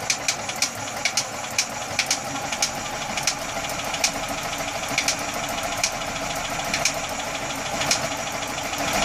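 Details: Atomic 4 engine idling with sharp, uneven pops about one or two a second; source of the popping unclear.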